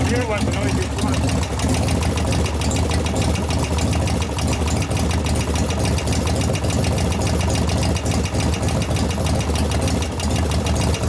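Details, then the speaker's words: 1988 Harley FXR V-twin, warm, at idle: a steady ticking knock rides each beat and grows louder with heat. The pushrods were set to zero lash, so the lifter acts solid; a rear lifter is not pumping up. Hydraulic lifter knock. "as it's warming up it's making more and more knocks because donors are growing yeah because that's a solid lifter right now"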